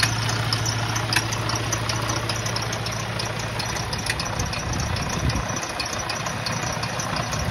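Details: Detroit DD13/DD15 diesel truck at idle: steady low rumble with faint uneven ticking, squeal/squeak-like sounds; failing high-pressure fuel pump.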